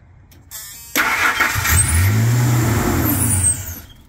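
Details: 1999 Ford F-150 4.2 V6, first start in years after fuel pump, fuel tank vent, belt and tensioner replacement: starter cranks briefly, engine catches and settles into a steady idle on its own, a slight shriek (owner suspects throttle body needs cleaning); needs new muffler.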